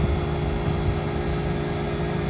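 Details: Walk-in cooler condensing unit, set for 34 but found at 48, after refrigerant was weighed in to clear the sight glass: a steady, even low drone from compressor and fan with no knocks or surging. Superheat 7°, running normally.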